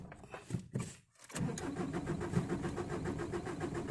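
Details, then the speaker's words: Ford Ranger diesel, long unused, hard to start in the morning or when cold: several weak cranking bursts, about five attempts, before it catches and settles to a rough idle. "Itulah masalah dia Bro asal waktu pagi ataupun izin dalam keadaan sejuk masalah dia macam itulah"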